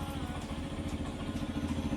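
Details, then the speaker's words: Yamaha FZ-S single-cylinder bike at about 9,955 km, due for its 10,000 km dealer service: choppy, slightly cracked, clattery idle instead of a clean thump; owner says the unclear sound must be checked at service, cause not found. "মানে অলপ ফটা নিচিনা চাউণ্ডটো ওলাই আছে। শব্দটো আপোনালোকে শুনিব, কেনেকৈ শুনিছে। চাউণ্ডটো ইমান ক্লিয়াৰ অহা নাই, চাউণ্ডটোৰ কাৰণে"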